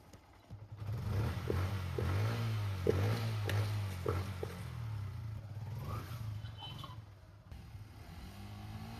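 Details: Yamaha Byson carburetor motorcycle after carb repair and an oil flush and change: low, steady engine rumble with a few throttle blips, no knocking or rattle; runs normally after service.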